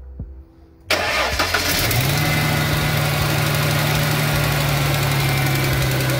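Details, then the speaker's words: 2003 Mustang engine after a spark plug change with the air intake hose refitted: it cranks, catches at once and idles smoothly, with only a slight exhaust leak audible. "as butter look at that now you can hear a little bit of an exhaust leak but other than that this thing runs super duper smooth"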